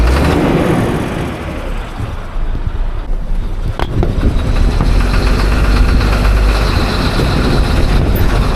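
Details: Diesel engine at idle: rough rumble with an uneven, intermittent clatter, typical of a failing fuel injector knocking.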